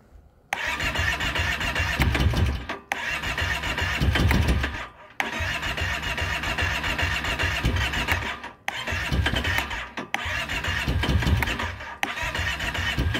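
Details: 2012 Kawasaki Brute Force 650i ATV cranked after switching back to choke open. The starter spins the engine steadily in five long bursts with short pauses, but it never catches: crank, no start.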